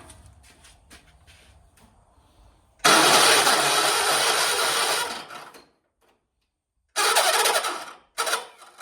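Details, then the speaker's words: 1976 John Deere 300 with a binding starter: long loud cranking bursts with dead pauses, the engine never catching cleanly, a hard start needing prolonged cranking. "What the heck? My John Deere won't start today. What is going on? Oh, my John Deere doesn't even want to run"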